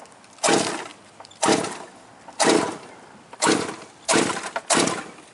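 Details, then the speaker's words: Quarter-scale GT40 with a marine engine, restarted after driving through a puddle: six cranking bursts about a second apart, none catching; owner suspects it has a little too much in it; cranks but won't start. "I heard it try. It might have just a little too much in it."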